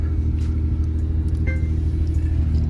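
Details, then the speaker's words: Nissan 350Z after repair, with the failed fuel pump assembly fixed, a new battery fitted and two bad ignition coils swapped. It runs with a low, even rumble and no knocks, ticks or misses: normal running. "and then now the car works perfectly like normal so here's the keys as you guys can hear it's on concern disease finally back up and running"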